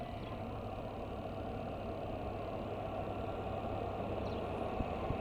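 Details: LG twin-tub washer after repair of a spin tub that would not run. The broken clutch-cable hook pin was replaced with a drilled-in bolt. Now a steady even whirr with a low constant hum and no knocks or scraping; the spin tub runs smoothly.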